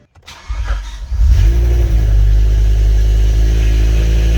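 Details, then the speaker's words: BMW E60 M5 S85 V10, first start after rod bearing replacement and other repairs: short crank, catches with a rev, then settles into a steady even idle with no knocks, ticks or weird noises; healthy. "pretty good no weird noises so which is a good thing"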